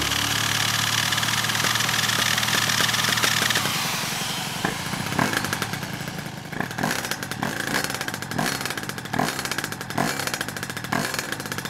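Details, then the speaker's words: Piaggio Zip SP 70cc two-stroke (Stage6 cylinder, Malossi MHR crank, Polini Evo variator, PVL ignition, 2.5% mix) rebuilt after 15 years stored, after tightening loose variator, choke off: rev drops to crackly idle, metallic scraping gone; normal idle. "Il est plus au starter là. Oh, ça fait du bien d'entendre ça... Nickel... Super ! Le scooter fonctionne"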